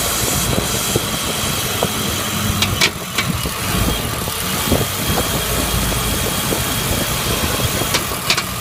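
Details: BMW E39 with M52TUB28 engine at cold start idle: loose, irregular knock with some hiss that goes away as the engine warms; cause was a cracked crankcase ventilation hose letting in unmetered air.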